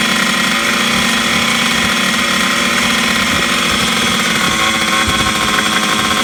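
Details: 1980s Yamaha MX100 two-stroke first start after fuel tank cleaning, fuel tap unblocked and new fuel pipe, choked, premix fuel; busy buzzy running at a raised steady speed without settling; idle too fast, owner suspects the throttle.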